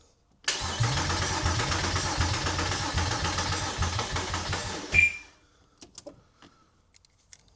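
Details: Porsche Boxster with a swapped-in used engine, exhaust not fitted, first start attempts: starter spins steadily at about four beats a second for over four seconds, then stops; engine never catches, cranks but won't start.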